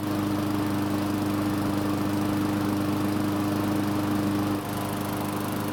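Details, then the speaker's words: Poulan push mower, long stored outside, after cleaning and oiling the air filter and priming for a longer test run: small single-cylinder holds a steady, even buzz with no misses or surging, though reluctant to stop at the end. "so this time everything went well except at the end because it seemed like it didn't want to stop"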